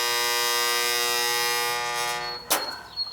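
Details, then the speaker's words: Goodman R22 AC condensing unit not running: harsh steady electrical buzz, then a sharp clunk as the contactor is pushed in and the buzz dies. Burnt, blackened contactor not pulling in. "see when I just I just pushed it and it went in we got a bad contact Lydia it was out and I just pushed it in it was making all that noise"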